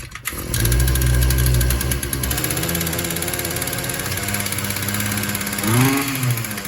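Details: Shindaiwa M242 two-stroke after replacing fuel lines and fuel line gasket, primed and started on choke: catches, settles into even buzzing idle, blips up and drops back cleanly; normal running.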